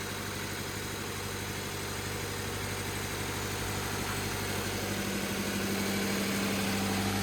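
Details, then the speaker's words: 2013 Scion FR-S boxer engine at its first start after a new/reman short block replaced a rod-knocking engine, primed first. It idles smoothly with no knock; an earlier small knock was probably the timing chain lacking oil pressure. "so now this is going to be the first start up it's running smooth"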